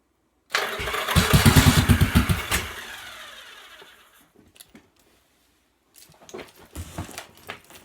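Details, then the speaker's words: 1986 Yamaha XV750 Virago on a Gen1 KJS single-carb manifold, first start after winter in the cold, with the throttle just reconnected. Rough catching, kill switch hit, then pops as it backfires through the carb; may need retuning. "switch getting a little backfire through the carb here so might need to be retuned now"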